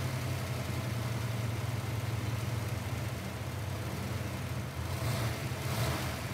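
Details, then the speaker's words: Car restarted after intake removed for misfire: deep, smooth, even idle burble with no stumbles, slight lift near the end; no misfire now; normal idle. "as of right now car's running great it's not misfiring nothing"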